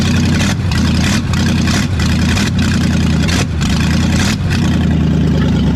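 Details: Brand-new V8 in a project car, just after first fire, open stainless headers, no O2 sensors or exhaust: loud deep lumpy burble idling steadily with gruff uneven exhaust pulse; normal idle, just very loud.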